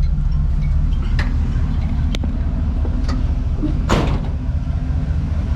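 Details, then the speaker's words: Square-body Chevy crew cab TBI truck that died after tune-up (cap and rotor) and wouldn't idle; after suspected fuel pump fix it starts and idles with steady even low rumble, no stumbling; smog pump screech noted at startup. "hell yeah started damn I'm happy for that so I guess it was a fuel pump after"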